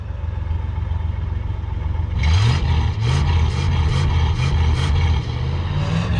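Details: Car with a V8 after an engine rebuild; it had been smoking under the hood earlier. Deep even idle, then crisp throttle blips that rise and fall cleanly with no misses or knocks. Normal revving, sweet-running engine.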